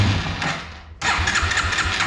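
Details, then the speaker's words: Yamaha 225XT dirt bike, cold, on choke, before carb cleaning. The starter cranks with a fading whirr, then the engine catches abruptly after a struggle and runs a lumpy, uneven idle; hard starting and rough running. "But I mean, it even really kind of has some trouble starting. So it'll, you know, just runs really rough right now. To be fair, it is still not warmed up, but you know, it should be doing a little better than that."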